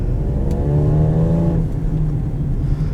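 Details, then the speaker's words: 2014 Lincoln MKX with 131,111 miles on a test drive: raspy, blatty roar climbing with revs then dropping off, likened to a Raptor, from a small exhaust leak. "oh I love exhaust leaks that just makes it kind of you know what it sounds like a Raptor"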